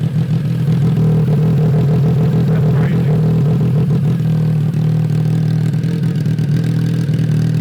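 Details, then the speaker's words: Triumph 955cc triple go-kart, abandoned and possibly sat outside, now running after electrical checks; deep even drone with small rev rises and falls, no knocks or rattles. Normal running and revving. "so this go-kart is still a complete mess but our Triumph 955 go-kart is a runner"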